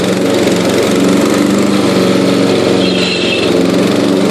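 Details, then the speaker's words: Yard King riding mower, engine running at mowing speed, carburetor retuned: loud steady engine drone with brief high drive-belt squeal while the clutch is pressed to shift gears; gears sometimes drop out, occasional overrevving. Belt squeal with clutch pressed. "hear that belt squealing that's cuz my foot's on the clutch it's dropping shoot gears"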